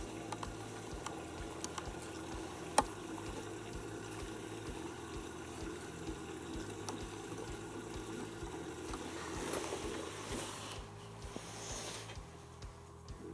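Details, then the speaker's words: Panasonic NA16-VX1 inverter washer (7kg, 1600 spin, 2009) has detected a small load and is filling through the main detergent compartment to wash the detergent in. A soft steady trickle of water under a quiet hum, with no pump strain; normal fill. "she is now doing is filling up water through the main washing detergent compartments adding the detergent"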